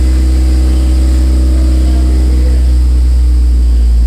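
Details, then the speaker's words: Toyota MR2 Spyder with DIY 5 psi turbo kit, first start after the install at idle: a loud deep idle with a faint whir the owner attributes to the clutch throwout bearing. AFRs are about 12:1, and a blown exhaust gasket was found afterward. "Whoa, that sounds good. That's my throwout bearing. That's my throwout bearing, don't"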